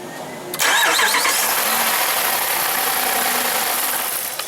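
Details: 2012 Jeep Grand Cherokee Overland with Hemi V8, intermittent no start: starter cranks at even speed about four seconds with no firing; no power reaching the fuel pump, TIPM suspected.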